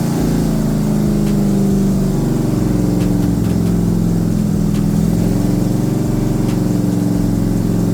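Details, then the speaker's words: Rebuilt Corvette V8 on its first start after valves stuck open from rocker preload were fixed by lifting rockers 3/4 turn: loud, lumpy drone with wavering pitch that never settles; rough running, cause not found, more fuel suspected. "Something else is the matter. Yeah, that thing needed to go in quite a bit, huh? All right, one more time, more fuel probably."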